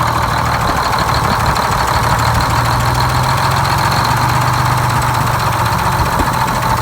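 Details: GM 4104 bus diesel two-stroke, revived after about nine years sitting, with four stuck injectors freed and a bad starter replaced: deep, steady idle with an even low beat, no misfires or stumbling; healthy normal idle.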